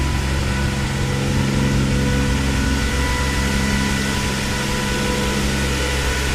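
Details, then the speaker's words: Nissan 300ZX Z32 with swapped RB26DETT, heard from the front with the hood open just after a cold start: loud, steady rushing hum of the electric radiator fans; normal, quieter with the bay shut. "So that fan's pretty loud. When the engine bay is shut, it's not too bad."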